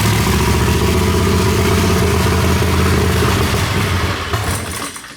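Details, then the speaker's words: Turbocharged Predator 670 V-twin drag rail, first start on new fuel injection: heavy, uneven thumping idle that lazily fades out; the mixture is too rich, picked up when fuel was taken out, and it needs leaning. "I took some fuel out and it started to pick up, so it needs to be leaner."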